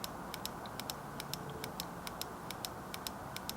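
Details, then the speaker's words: Motorcycle fuel injector off the bike on throttle bodies, tapped to 12 V battery leads: sharp light ticks at an irregular pace, about one per second; injector solenoid clicking cleanly, working electrically. "that's the solenoid inside the injector basically a switch opening and closing so we know that that injector is working electronically via the solenoid"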